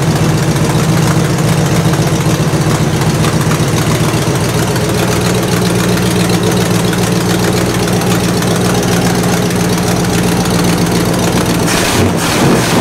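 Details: 1968 Buick LeSabre V8 idling after engine repair, previously abandoned with no oil pressure and leaking head gaskets; valve cover off, oil pressure good, head gaskets holding, temperature stable around 190°; smooth steady rumble, no knocks or misses, healthy.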